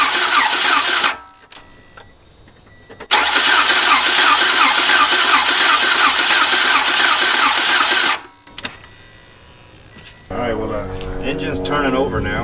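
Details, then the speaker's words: 2014 Toyota Camry SE bought at auction, after starter replacement and mass airflow sensor refitted: two long bursts of fast, steady cranking, about three and a half turns per second, engine never catches; cranks but won't start, cause not yet known, codes to be scanned next. "so the starter was one issue but it's still not cranking up so i don't know what's going to be the next issue"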